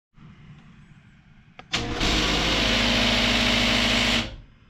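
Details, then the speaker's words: Genie garage door opener that won't open, second time this happened: after a click the motor starts with loud, harsh grinding over its hum, from stripped plastic drive gear teeth, then stops. "Um, well, as you just heard, there's some there's some noise coming from at their piece of plastic."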